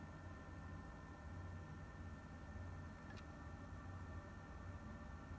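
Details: PS4 console running: steady low fan hum with a single sharp isolated click; an occasional click of unknown cause.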